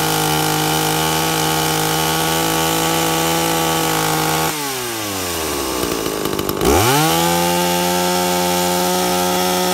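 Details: 2-stroke chainsaw with an impulse diaphragm carburettor, tuned by ear with the high jet set slightly rich. A high steady scream drops as the chain bogs into the cut, then recovers and holds speed. Carb tune right under load.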